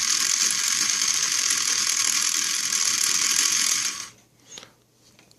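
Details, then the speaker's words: 1995 Mercedes SL600 driver's-side throttle actuator unit, before repair, bench-driven at 14 volts (abnormally high): high-pitched whir with uneven ratcheting rasp for four seconds, then stops; motor binds, breaks loose but won't spin smoothly, needs opening up. "so this motor definitely needs to be opened up so at 14 volts which which is abnormally high for the throttle body to work at but I just wanted to show that I can break it loose at that voltage so definitely this is problematic motor right here"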